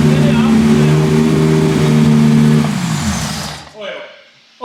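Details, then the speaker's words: V10-swapped BMW E46 M3 after finding big exhaust manifold-to-head leaks: a strong, clean rev rising and falling without stumble or popping. It sounds close to all cylinders firing, "9.5 cylinders." "Hard to not get a bit carried away because that sounds kind of sick. Yeah, yeah, that was cool. That's a positive result."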